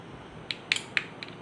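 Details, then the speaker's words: SiSAH 220V 2-channel wireless remote control switch receiver with 10 A relay, channels switched on: several sharp crisp relay clicks audible from outside the case in a quiet room. Normal relay click. "അകത്ത് ആ relay click ചെയ്യുന്ന sound നമുക്ക് വെളിയിൽ നിന്ന് കേൾക്കാൻ പറ്റും."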